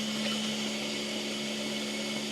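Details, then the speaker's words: DeLaval milking parlour vacuum machine motor after a loose connection was fixed with a new junction box and block connector: steady, unwavering hum with constant whir and no cutting out; normal running, no new regulator needed. "that's working and that's working ra the air right so we're all fixed there now and we're rewired"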